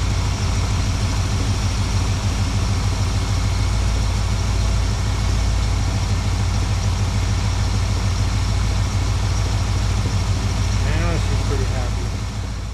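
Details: 1972 Plymouth Valiant 318 V8, Holley 600 four-barrel refitted after fixing a rich-running fault: deep, smooth idle holding steady throughout with an even low rumble, no stumbles or hunting, much better than before.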